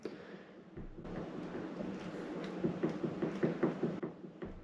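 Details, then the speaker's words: 2002 Honda CR125 engine teardown after seizure: connecting rod rocked by hand gives light uneven clicks, up-and-down big-end bearing play on the old crankshaft. "that noise that I can make there is actually the noise of the um play so that's all up and down play"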